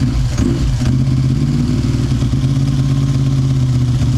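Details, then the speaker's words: Ducati Monster 900 V-twin started during a home service: steady, lumpy low idle beat with no knocks or rattles; the owner jokes "it's a Ducati, there's a noise", but the engine runs evenly and healthy. "Vas-y, démarre. Il y a un bruit, c'est une Ducati, il y a un bruit."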